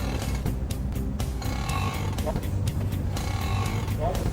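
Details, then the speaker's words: Car with a dry strut mount bearing: short creaky squeaks repeat over a heavy low rumble as the steering wheel turns. Fix is replacing the plane bearing on the shock absorber. "do you hear it there is a squeaking sound when turning the steering wheel if you choose to go to a repair shop wrong if we replace the plane bearing on the shock absorber the problem will be solved"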